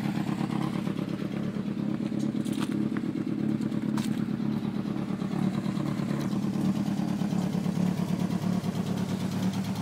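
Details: MK2 Golf draw-through turbo with Weber 45 and tacked-up exhaust, needs tuning, bogging and backfiring: fast uneven puffing and chuffing over a lumpy idle from several exhaust joints blowing.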